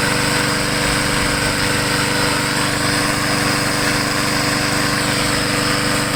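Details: MTD 22" walk-behind mower, finished after repair and oil change, final run: loud, even, steady drone with constant pitch and no misses or knocks; running smoothly.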